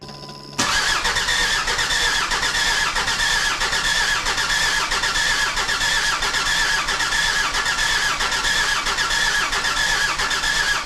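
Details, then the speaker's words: Jeep WJ Grand Cherokee 2.7 CRD diesel after installing replacement injectors and recharging a low battery: steady labored cranking about ninety turns a minute with no firing; crank no start. "Then I started cranking, and this is where the big problem came."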